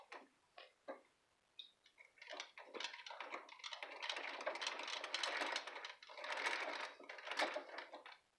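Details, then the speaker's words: Treadle sewing machine with a 237 head, after cleaning, dusting, oiling and gap tightening to cure a clunk: light soft ticking and whirring about one stroke a second, no heavy clunk. Much quieter though slightly stiffer; normal smooth running. "now it's much quieter but it's also a little stiffer so I'm not unhappy"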